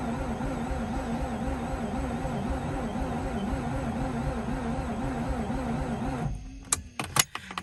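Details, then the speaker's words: Mazda RX8 after replacing 2-year-old fuel with 93 octane premium, original 1.4 kW starter: starter cranks engine in even pulsing rhythm about six seconds, never fires; crank, no start, cause not confirmed. "doing 15 seconds of cranking technically you have to do about 10 seconds of cranking then one minute wait um so you don't overheat your starter and you don't kill it"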